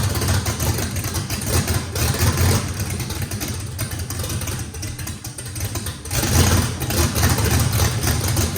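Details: First start of a race V8 with a radical camshaft, likely big overlap and lobe separation, needing a lot of throttle to idle: deep, choppy, uneven loping idle with a slight throttle rise; normal lopey idle, running fine.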